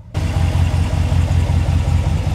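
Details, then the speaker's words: Ram pickup shifting into drive after the axle-lock-mode fix for a transmission clunk on shifting to D or R: steady low idle rumble with no clunk as it drops into gear; smooth, quiet engagement. "it will resolve that clunk that annoying clunk that happens when you are in drive that is the second method on how to remove that clunk it should sound buttery smooth just like this"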